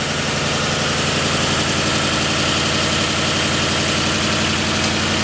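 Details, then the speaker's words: Freshly built Ford 302 roller V8 with new cam and new Rotella 15W-40 oil, after correcting the distributor installation: steady, even idle with smooth firing, no misses, knocks or hunting, oil pressure just below 60; normal idle. "It's just below 60. Sounds good. I call that a win."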